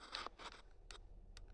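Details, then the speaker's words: Volvo XC90 2017 (SPA) accelerator pedal: short dry creaks and squeaks as the pedal moves, from friction where it rubs at the pivot; annoying when pedaling at low-speed maneuvering; hall-sensor pedal. "Ну, то есть, ну, скрип, короче говоря, когда педалируешь на маленькой скорости маневрирование, это раздражает."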